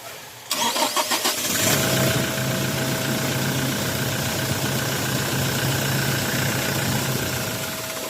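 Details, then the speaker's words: Toyota Hilux 2GD diesel, hard start and stalling despite new fuel filter: about a second of uneven cranking then ragged catch into idle; air bubbles seen from fuel filter, air being drawn into fuel. "dito napansin natin na merong air bubbles na nanggagaling sa fuel filter."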